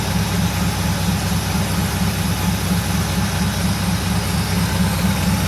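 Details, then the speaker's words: Mercedes 6.9 cold start after sitting overnight, manifold cold, suspension raising: deep, loud, steady V8 burble with heavy low-end roar because the muffler has been cut off. "it's really loud because the muffler for some reason has been cut off"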